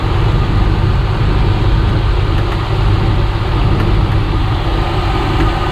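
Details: 1995 Chevy Tahoe 2-door 4WD with TBI, not run since 2018, idling under its own power after a new fuel pump was installed: low, even rumble at constant speed, no stumbles or ticking; owner suspects cooling leaks. Normal idle.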